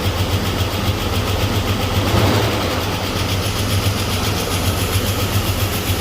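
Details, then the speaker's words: Chevy S-10 donor engine with bad spider injector, timing checked, after oil change and running a while: steady low idle with even beat, no tapping or missing; smoothed out, possibly lifters pumped up. "Well, I changed the oil and I let it run for a little while, and the thing smoothed right out."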